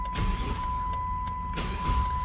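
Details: 2007 Chrysler 300, after a no-crank fault from a broken ignition lock cylinder, with the lock cylinder and ignition switch replaced: a brief starter whir, then the engine catches at once and settles over a steady chime; cranks and starts normally.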